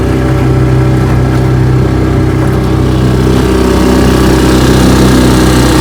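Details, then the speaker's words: 1958 Johnson 3 HP JW14 two-stroke outboard, fully restored with a rebuilt magneto and lower unit, warm, under load pushing a boat about 5 mph: a steady, even buzz with no misses or stumbles, running smoothly and healthy. "we'll give her a test run it's going to be a warm start i've been running her she pushes my jungle here about five miles an hour"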